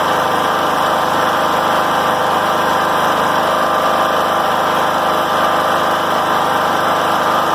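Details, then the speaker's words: John Deere L100 riding mower that idled too high, just after the governor arm was reset and tightened at wide-open throttle, rain hiss in background: steady, even engine hum with no hunting or surging; normal idle. "now that we have that governor set let's start it up and see how it sounds"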